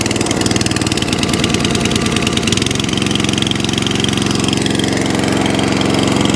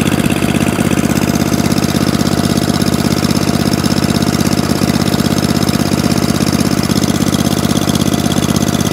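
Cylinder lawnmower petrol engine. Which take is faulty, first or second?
first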